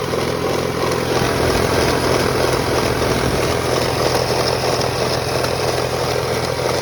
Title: 2001 Toyota Camry rattling sound